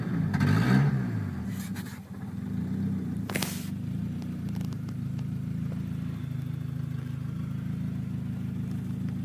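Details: Honda EM2 with a D17A1 engine that will not idle: it revs, sags almost to stalling, then idles roughly. The engine control module had failed, possibly from a bad or loose alternator, and needs replacing.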